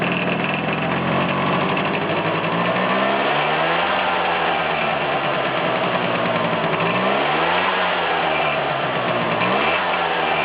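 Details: Vespa T5 two-stroke, clutch engaged and disengaged with throttle blips: busy buzzing idle with a rattly edge rising and falling with throttle, disappearing when the clutch is pulled in and returning when released; abnormal engine noise, cause not pinned down.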